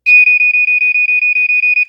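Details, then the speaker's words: Vintage 1980s Black & Decker Flamebuster SMK-6D/M1 smoke detector (Ei Electronics-made) alarm test: about thirteen clean, even, shrill beeps in under two seconds. This fast coding is not quite as fast as the GE warble but faster than normal models; working correctly. "Okay, so that one, as you can hear, is the normal, like, GE warble tone that's really, really fast. But this one is not quite as fast."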